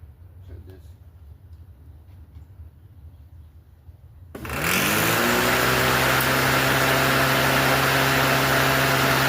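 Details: Free Craftsman 19-inch corded electric lawnmower, unused a while, after new mulching fan (blade) fitted underneath: quiet, then motor spins up within a second to steady, even hum and whir; normal running.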